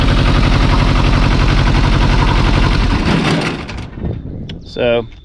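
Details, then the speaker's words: 1985 Kubota T1600 diesel garden tractor, 290 hours: even solid diesel clatter about four beats a second under a little throttle, then shutdown; engine runs great, but hydrostatic transaxle barely moves. "as far as it running runs great"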